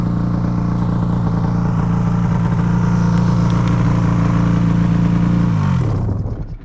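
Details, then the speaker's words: Ski-Doo XRS snowmobile, clutch reportedly getting weaker, given gas after backing up: engine revs to steady drone with rough clattery pulse then drops away, sled not pulling; secondary clutch failure, sled towed home. "Get on it and try to move it. It sounds like something. Yeah, it is. Something's wrong with it. Give it some gas."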